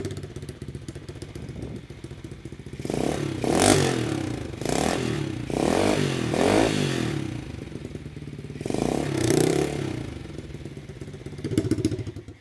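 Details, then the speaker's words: Rebuilt 125cc-swapped Chinese pit bike (new cylinder and piston) with muffler fitted, in garage: small single idles evenly then several sharp throttle blips rise and fall cleanly, crisp muffled exhaust note; running healthy. "Wow. I cannot believe how good that sounds."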